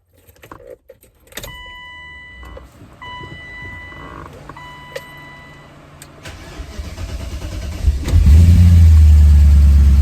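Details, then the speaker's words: BMW E30 325 with M60 V8 swap, after grinding traced to a pulley hitting a hose and fixed: engine starts and settles into a steady even low rumble with no grinding; normal idle. "A lot smoother now. Yeah, I think it's good."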